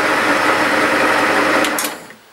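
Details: 1950s Meddings Pacera MB2 bench pillar drill with new imperial replacement motor and newly fitted NVR switch: steady, even motor hum without knocks or rubbing, then stopped by stop/e-stop and winds down quickly; normal drill press motor run.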